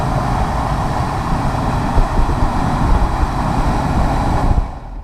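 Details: Replacement AC blower motor on a 2006 Ford Expedition, just installed and switched on: strong, steady rushing roar with no ticks, squeal or wobble, then winding down; the blower motor runs normally.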